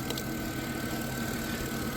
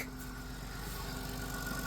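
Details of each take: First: 2000 Chrysler Grand Voyager SE, off the road over 8 years, warm idle after half an hour running: thin whine and gurgle from the power steering pump, owner suspects an empty reservoir letting it draw air. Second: 2000 Chrysler Grand Voyager SE, 114,000 miles, just started after 8 years parked, accessory belt cut off so nothing driven: quiet steady low hum with no ticking or tapping; normal idle.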